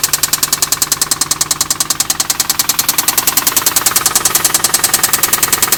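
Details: 2004 Infiniti G35 that developed a lifter tick; the shop found extensive gold-colored metal shavings in the oil, and 1000 miles after repair: sharp, very even metallic knock about two per second over the idle; heavy internal knock, cause not yet known.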